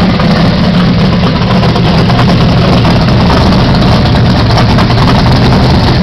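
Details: 1978 Pontiac Phoenix, 355ci small-block Chevy V8, 650 Proform double-pumper carburetor, Vic Jr intake, 3-inch pipes into 5-inch race bullets: loud deep lumpy uneven idle after a quick tune; carburetor idle mixture still needs final adjustment.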